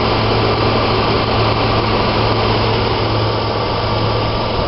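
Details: 2013 Chevy Tahoe LT Vortec V8 with just over 42,000 miles: even, steady idle with constant low rumble and no ticks, knocks or misses; normal idle.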